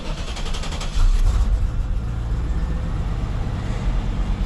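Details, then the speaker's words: LT1 engine, cleaned and resealed original Optispark, restarted without water pump or coolant: catches and settles into a low, lumpy, unsteady idle with some noise; rough running, cause not pinned down, owner thinks it needs breaking in. "It's a little funky. That responded better. Something's making noise."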